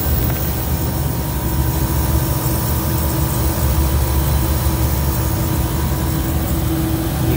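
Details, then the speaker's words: Beer walk-in cooler compressor on a pump-down attempt: a constant deep drone that never unloads or pumps down. Suction line is still cold and discharge hot, and head pressure reaches about 410 psi. The compressor is suspected to be bypassing internally. "see so it's running it's still got a cold suction right still has a hot discharge wine but it's just internally by passive you can hear"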